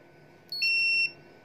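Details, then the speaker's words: Sunshine 30 A short killer, about 4.5 V, probes on a shorted mobile phone board point and ground: a single half-second high electronic beep signals the short while it burns the short open. "तो ये देखें ये short हो चुका है, beep की आवाज़ आ रही है आपको।"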